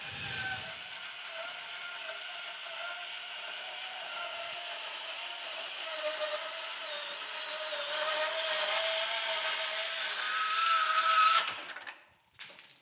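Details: Milwaukee cordless subcompact band saw cutting steel; even motor whine holds pitch while blade rasp grows through the steel then stops cleanly; healthy, clean cut.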